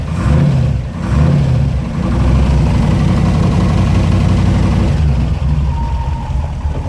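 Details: TVR wedge V8 with a new Facet red top fuel pump under the bonnet, fuel pressure at 4 psi: a deep, lumpy burble idling steadily and swelling smoothly on blips, with no misses. Normal idle and revving, with no leaks.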